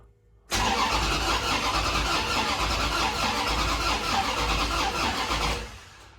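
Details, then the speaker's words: Turbo Dodge Diplomat V8 cranking during diagnosis of a new engine noise (owner suspected valvetrain or lower-end knock): uneven galloping beat instead of even spin; starter amp-draw scope shows only 6 of 8 compression pulses, two cylinders low compression. "This is what it sounds like. It's got a big old gallop in it."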